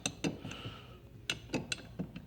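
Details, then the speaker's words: Old Mopar driver's-side lower door hinge rocked by hand: irregular sharp metallic clinks and dull knocks as the worn pin, meant to be a press fit, drops loose and lets the hinge parts slap. "so anyway no good so there's messing around within this pin just pops out comes out from the top it's not supposed to do that I don't supposed to be a press fit it's supposed to be a press fit into this point but obviously just drops in there see all that movement that's what's causing that"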